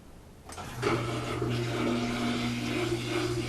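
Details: GE washing machine just after seal replacement (owner doubts the seal fit and expects leaks): clicks on, then a steady low hum with water rushing in evenly, no knocking or grinding; a normal fill.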